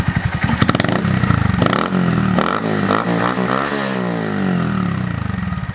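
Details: Honda Monkey with Yoshimura SA-18-K low-volume spark arrestor insert, warmed up, blipped in the shop: crisp, muffled, mellow bark, no rattles, quieter than the previous insert; normal exhaust note.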